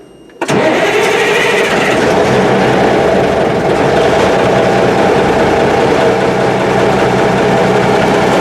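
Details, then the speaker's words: M925A1 army truck diesel, rebuilt engine, cold start after sitting 7 months: catches within a second and settles into a steady, even run with no misses, knocks or smoke; possible air in fuel lines, no fast idle needed. "That wasn't bad at all. I mean, this thing hasn't been run for 7 months."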